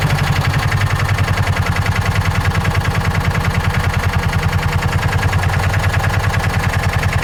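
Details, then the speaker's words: John Deere Gator 4x2, after adjusting carburetor idle and jet mixture: steady, even low thump with no misses or knocks at about 1140–1150 rpm; normal idle. "I think I might be pretty happy with that right there for now. How's our idle looking?"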